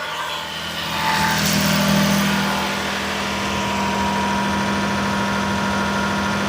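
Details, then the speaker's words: Daihatsu S210P mini truck engine after new OEM camshaft and phaser, first run in two years, 180 psi compression, alternator not running: smooth, even idle with a steady low drone, no misses or knocks; healthy. "She sounds great. She's running that 180 lbs compression. Man, this thing sounds good."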